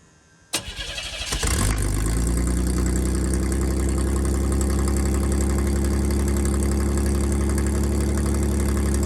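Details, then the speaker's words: 1987 GMC S15 pickup, catalytic converter removed, temporary pipe sitting on a clamp with no muffler: cranks, catches and settles into a loud, deep, raspy open-exhaust idle; sounds good but a muffler is still wanted. "oh that would be sick if i didn't want a muffler but no"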